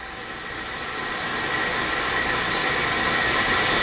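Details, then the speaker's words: 2300-S spin rinse dryer running recipe 2 at 1800 RPM: even hiss rising smoothly as the rotor ramps up quickly, no vibration or knocking, only nitrogen flowing from the back drain; normal smooth spin-up. "Okay, you can see we're ramping up very quickly, very smooth, no vibration."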